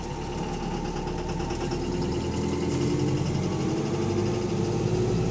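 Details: Bus AL HV48 on route 335, diesel at idle: loud, heavy, steady knock of about three beats a second under the idle drone, suggesting a worn rod bearing; rod knock.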